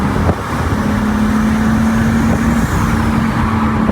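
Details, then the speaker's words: Rebuilt 2023 BMW M3 with big turbo, untuned, too much boost, hard acceleration: note flattens and stumbles near top of revs, bogging out at 4500 rpm; engine bogging under load. "all it's got it bogs out at 4500 man that sound though I don't even care that it's not tuned"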